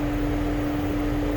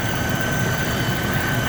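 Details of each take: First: 2008 Mercedes-Benz CL500 (W216), engine running: engine cooling fan stuck on high speed with a constant loud roar; also no heat or blower, and the climate control unit isn't communicating over CAN (codes 0237, 1437, C164, C005). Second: 2008 Mercedes-Benz CL500 (W216) after replacing the climate control module that caused no heat and fan stuck on high: steady even idle, faint whine, engine cooling fan now quiet; fixed.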